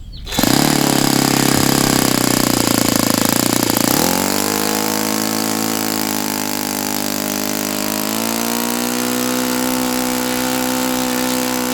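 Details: Saito FA-82a four-stroke glow engine after spring replacement, timing, valve lash and springs confirmed good, plug swapped to O.S. F: fires up to steady full-throttle drone that sags, short of the ~9,000 RPM expected on what is probably a 14x6 prop; cause unknown.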